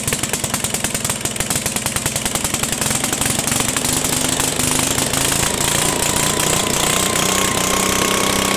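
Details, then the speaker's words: 1974 Sears Rototiller engine just started after straightening the bent choke linkage: rapid, busy firing with pitch creeping higher, idling too fast; to be checked with a tachometer and slowed down. "it sounds like it's run a little fast where my flashlight at dang Navin put that in my pocket it's running too fast we can slow it down"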